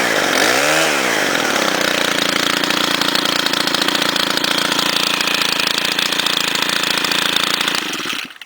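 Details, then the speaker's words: Cold start, after sitting 2-3 hours in the sun, of a Stihl FS90 4-mix trimmer with the spark arrestor screen removed, so it runs a bit louder. Quick rev, then a steady, clean, even high buzz held for several seconds: normal running and revving. "Uh it'll it'll be a little bit louder because I did take off the spark arresttor screen."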